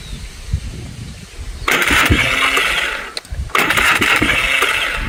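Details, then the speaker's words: Scrap ATV four-wheeler with new starter, trying to start: two short bursts of high whirring starter spin that barely turn the engine and cut out; starter slipping or not engaging. Owners wonder if piston or seized engine; unconfirmed. "Is it skipping gears or something? Are you just Is it Is it like What What's going on here? Is it the piston or cuz you can hear it pushes it but yet stops."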